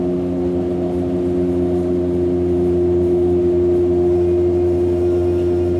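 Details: Hamburg U-Bahn DT5 343-1 train braking: strong steady droning hum with clear mid tone; heavy traction motor hum, possibly worn motors, unconfirmed.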